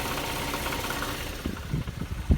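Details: 2008 Infiniti G37, about 120,000 miles, idling in Park: irregular low tinny rattling bursts from under the car, louder with rising rpm and gone above about 2000 rpm; confirmed broken catalytic converter, no dash lights.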